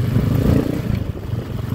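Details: TMX 155 motorcycle after new clutch set, previously moaning on pull-away: pulls away smoothly in first gear with an even engine note and no clutch moan.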